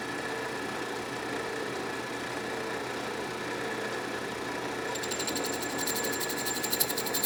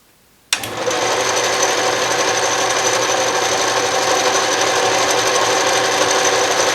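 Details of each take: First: Restored 12-inch Atlas Craftsman metal lathe, first test cut in scrap brass with previous owner's oddly ground cutter, through old threads (interrupted cut), lathe not yet leveled or bolted down: steady motor hum with fine high rattle; expected chatter from interrupted cut. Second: Restored 12-inch Atlas Craftsman metal lathe, reassembled, power feed engaged with the carriage moving right: after switch-on a steady, even whir and gear hum with no clunks or grinding, the feed running smoothly.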